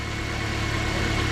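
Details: Toyota idling with the battery disconnected to test charging; the meter reads about 15 V. Smooth, even idle with a steady low hum, no knocks, whine or stumble: the alternator is working and the engine runs healthy.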